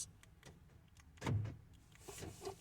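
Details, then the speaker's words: 2004 Ford F-150 door locks cycling during remote pairing with an aftermarket Simple Key. Quiet cab, then two short, crisp mechanical clunks about a second and a half apart. Normal door lock actuation. "Now you hear the lock going on. You have a couple of seconds to press the unlock button for one, and the press lock for the other one, so it works."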